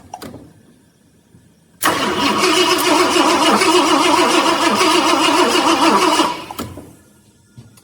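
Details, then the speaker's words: 1966 Ford Galaxie 500 XL, 390 FE V8 with new 4-barrel carb, floats and needle and seat just redone: cranks, catches rough and uneven about four seconds, then dies abruptly; carb flooding and gushing fuel. "Okay, never mind. It did just kick off for me."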